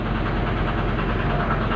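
Steady, even low diesel clatter at idle with no misfire or stumble; this engine is settled and idling normally.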